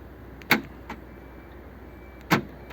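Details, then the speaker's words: Fiat 500, family-owned about 14 years: central locking and boot latch repaired after a tricky harness repair; door latched with three screws, two sharp crisp clunks about two seconds apart as it locks and unlocks, actuator now working properly. "I put the two screw the three screws in and latch the door and now it locks and unlocks"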